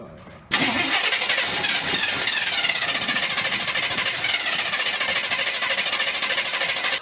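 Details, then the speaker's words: Squarebody C30 crew cab dually, 454 V8, refilled with gas after running out: about six seconds of fast, even cranking with no firing; cranks but won't start, and the owner suspects the fuel pump has failed. "my fuel pump really just take a crap on me it might have i think your fuel pump just went"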